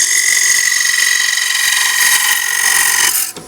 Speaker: the quarter inch diameter means that it's um it can't reach out very far without having a good deal of the chatter and you could hear that you start to get that musical tone it's not what you really want to hear when you're turning a bowl